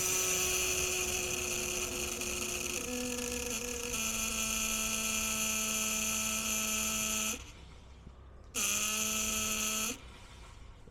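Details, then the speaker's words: Rockwood RV being winterized: compressed air is blown through the water lines with faucets closed and the low drain plugs out; a steady high hiss of air rushes out the low-point drains, pausing and resuming, to push the water out. "don't know if you can hear it but you can hear the air coming out at the end at the low points low drain points"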